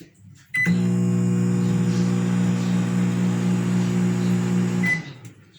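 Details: Consul CM020 20-litre microwave, before repair: loud harsh buzzing hum for about four seconds and no heating, diagnosed as a failed magnetron, later replaced.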